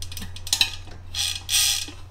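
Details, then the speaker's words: Winspace Hyper 50mm carbon rear wheel, hand-spun after greasing freehub pawls and springs to cure creaking: crisp, even buzz of many pawl clicks slowing and fading smoothly; freehub sounds healthy. "it'll just mix with the grease a little bit and just you see now they're just snapping up really nice"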